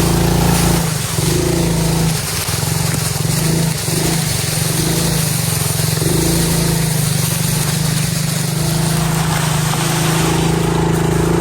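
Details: 2021 Kayo 70cc dirt bike, under 5 hours, after carburetor cleaning fixed no-start: little single-cylinder buzzes evenly while ridden, pitch climbing and dropping cleanly with throttle, no stumble or misfire; normal running.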